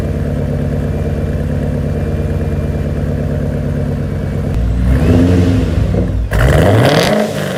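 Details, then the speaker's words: Warm engine, not a cold start, with a new Pypes muffler delete replacing cheap homemade piping; car has a blow-off valve: steady deep even idle rising into smooth revs with clean pitch sweeps; loud, healthy straight-through exhaust with no knocks or rattles. "I hope you guys can hear the exhaust because it sounds beautiful. I love how it sounds in person, but camera obviously is not going to pick up the audio like it should in person."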